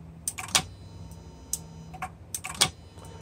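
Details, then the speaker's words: Bench test of a repaired Mercedes non-ASR throttle actuator after clutch coil repair and rewiring: crisp, sharp clicks in uneven bursts as power is switched on and off, the drive gear snapping the throttle plate cleanly to its stop; normal operation. "whatever it is what it is it works I want to go into details too much but anyway this works this is how it's supposed to work"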